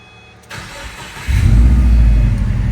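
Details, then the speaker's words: Subaru WRX after a full engine rebuild (new piston rings, new pins, Subaru gasket kit) with freshly recharged AC: brief crank, catches at once, settles into a steady even low idle with no misses or knocks; no smoke; AC kicks on very cold; normal start. "Starts right off. AC kicking on is very cold."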